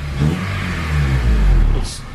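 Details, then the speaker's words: Honda Civic EP3 with freshly swapped stock K24 engine, modified header, no warning lights: engine blips up smoothly and settles, clean even hum without knocks or rattles; quiet, normal revving. "quiet yeah super quiet front out there"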